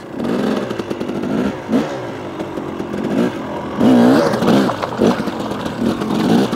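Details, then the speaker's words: 2018 KTM 300 XCW two-stroke fitted with an XTNG carburetor (replacing a 38 with power jet): sharp blips that fall straight back to a steady idle each time; crisp, even throttle response, cleaner and more predictable down low. "Guys, you hear that thing drops right back down to idle, just like I like it."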